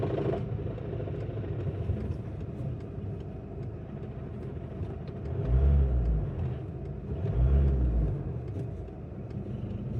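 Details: VW Golf MK5 GT 2.0 TDI diesel at low rpm with a deep rumble, faint loose ticking and two heavier surges. Rattle comes when lifting the clutch at low rpm and persists at higher rpm, is sometimes absent, and is sometimes joined by a sudden thud when accelerating; owner suspects gearbox, unconfirmed.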